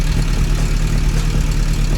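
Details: 1996 Suzuki Bandit GSF600S after a carb rebuild with new jets, an air-fuel adjustment and a reconnected vacuum line, idling at about 1,200 rpm. An even, steady low burble with no misses or knocks. Normal idle.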